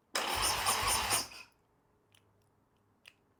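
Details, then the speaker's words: Harley Sportster V-twin build, first start attempt after sitting. A second of fast, choppy starter cranking and a couple of faint clicks, but it never catches, even with starting fluid. Plugs were checked and showed spark; a no-spark wiring fault is suspected. "okay guys so we know the bike cranks but it's not starting I already threw some starting fluid and not luck which means we're not getting spark"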